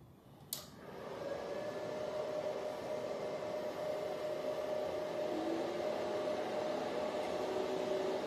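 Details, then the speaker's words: Antminer L3+ Scrypt ASIC miner at startup after swapping high-speed factory fans for quieter ones: soft click, then fans spool up to a steady moderate whir, far quieter than the original fans at startup; normal fan run. "okay as you can hear right now the uh the noise is a little way way lower than before"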